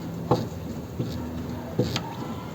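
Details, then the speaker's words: Worn rear axle bushing with play: dull, hollow clunks about every 0.75 seconds as the rear axle is rocked by hand. "Essa é a bucha do eixo traseiro. Agora veja a folga e o barulho que faz."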